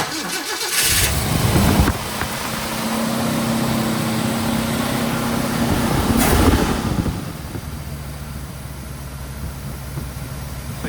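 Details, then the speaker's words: 1968 Ford Shelby GT500 KR Mustang V8, first start after new spark plugs, plug wires and high-energy coil installed and valve covers refitted: cranks, catches and settles into a steady, even lumpy idle with good oil pressure, no misses or knocks. "yeah, we're running. Sounds good. So we're looking good there. Good oil pressure."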